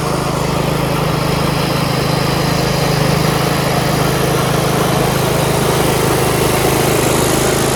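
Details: Yard Machines 38" riding mower, 13.5 HP Tecumseh, after fixing slow cranking and no-start: a smooth, even single-cylinder drone at steady speed, with no misses, ticks or knocks. Healthy running, charging at 13.5 volts.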